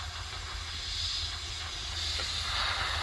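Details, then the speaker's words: Peterbilt 379, cold-start checkover with the dash panel pulled: a sharp, constant hiss over the low idle from an air leak at the differential axle lock quick-connect. It was fixed by reseating the fitting and its lock ring. "now they got it pulled out you can really hear it and it's uh my differential locker axle lock"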